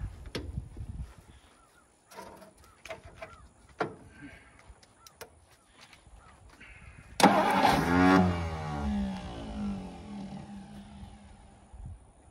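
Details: 1963 Studebaker Lark Wagonaire parked 39 years, fuel line hooked to the fuel pump, carburetor bowl filled by hand: quiet clicks and knocks, then engine fires, revs up, settles into a steady run that fades; engine starts and runs.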